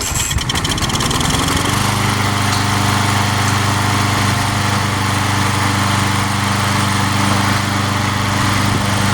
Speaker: I had it on its side a couple times, and it has been sitting. So took a minute to crank it.